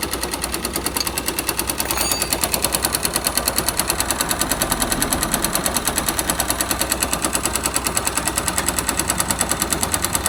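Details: 2005 Yamaha YBR 125 found with oil below the dipstick mark, refilled, now smoking, lacking power and leaking at the clutch seal: sharp rapid metallic knock about three per second at idle. Connecting rod knocking, plus piston and bearings worn.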